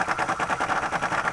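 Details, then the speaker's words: Air impact wrench tightening the strut top nut on a 2005 Nissan Frontier Bilstein strut install: slow, soft hammering about eight blows a second with little punch; impact wrench running low on air pressure. "i typically when i'm doing anything uh like this i tighten it down and then i put the impact so you can hear my impact out of air"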